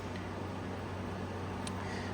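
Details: 2016 Arctic King 5000 BTU window air conditioner, model WWK05CR61N, 115 V, fan only on low drawing 0.475 A, 58.7 W: soft, steady low hum with even airy rush and no rattles or pulsing; fan runs smoothly.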